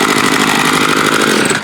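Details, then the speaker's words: Bolens BL110 25cc trimmer after new carb, fuel lines, fuel filter, spark plug and air filter, no adjustment needed: high steady buzz holds smoothly while cutting, eases off cleanly; normal running under load. "Straight out of the box, didn't even need to adjust it. Cuts good."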